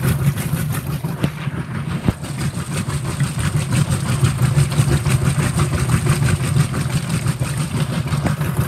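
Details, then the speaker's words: Whirlpool WTW5300SQ0 top-load washer after a new timer was fitted, warm water, normal regular cycle, high agitation: steady low churning swish about three times a second, even and unlabored, normal agitation. "and all that stuff so this is high education and also this was on regular"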